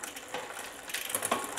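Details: Trek Checkpoint gravel bike, Shimano 105 with an 11-40T cassette (beyond the 11-34T spec), shifting up the cassette: crisp light ticks and clean clicks, no grinding or skipping; normal rear shifting.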